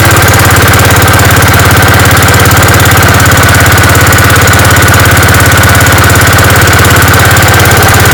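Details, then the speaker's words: Gravely 5665 engine with a newly fitted China carburetor, mixture screws at one and a half turns and choke working: steady, even thumping with no misses or surging, running clean at no load. "sweet that ran like a champ obviously I got to put it under some load and see how it does then but that sounded that sounded perfect"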